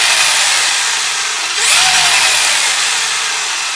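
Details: Brand-new Traxxas Velineon brushless motor on a 3-cell 4000mAh 20C LiPo, spur assembled: high, hissy whir that swells briefly mid-run, rough-sounding spin; owner suspects a bad bearing.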